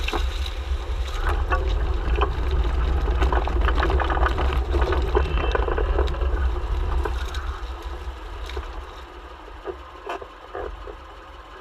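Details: Subaru Forester XT SG manual at 138k, front nearside: irregular clunks at low speed over heavy road rumble, clutch creak also audible.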